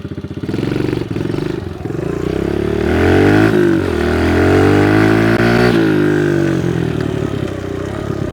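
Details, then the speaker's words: Kawasaki KLX110 pit bike after fuel and idle screw adjustment, about a turn and a half out, with new pipe and airbox: single cylinder revs cleanly, pitch rising smoothly and holding at the top without stumbling, unlike before; healthy full rev-out. "Oh, this thing runs way better. Sounds like a stock bike again. It actually revs out too. Remember last time it wasn't revving out."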